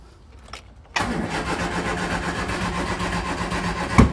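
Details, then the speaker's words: 1970 Triumph Spitfire Mk3 at restoration start, spark being checked: starter churns steadily about three seconds, then one sharp bang as a cylinder fires, but it never runs; cranks but doesn't start, owner suspects it needs more fuel. "oh did you hear that guys might need a bit more fuel but um we had a uh a spark there something fired"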